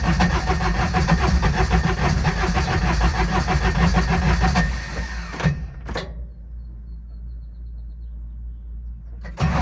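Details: Older Intimidator diesel UTV in park with a touch of throttle, cold: long labouring crank with uneven chugging pulses, never catches cleanly; owner blames worn starter bendix and suspects faulty glow plugs; larger battery fitted.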